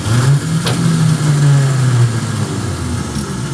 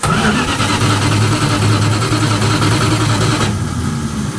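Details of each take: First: 1967 Dodge Dart sitting 5+ years, starter just installed: steady two-second whir with no cranking beat; starter spins freely, possibly not engaging flywheel. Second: 1967 Dodge Dart, sat over 5 years, starter reinstalled with its retaining pin kept in: starter spins the engine briskly and evenly, about two and a half turns a second, no grinding or clicking; cranking normally.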